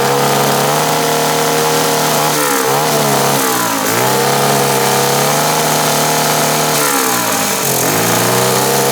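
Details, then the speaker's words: 125cc air-cooled fuel-injected turbo go-kart engine, first start with boost, about 7 psi (over half a bar) free-revving, not yet properly tuned: high revs stumble and sag in bursts instead of holding clean; breaking up under boost, tune unfinished. "we are making about 7 lb of boost just on idle and riving it which is crazy and it's not even properly tuned yet you can hear it's like breaking up there not quite"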